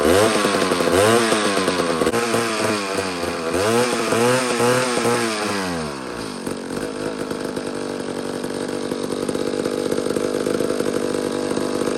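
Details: McCulloch chainsaw that sat for years, after flywheel removal and points setting restored spark, given a small shot of fuel: revs up and down unevenly, then settles into a rough, wavering idle. Owner suspects the carburetor; not confirmed.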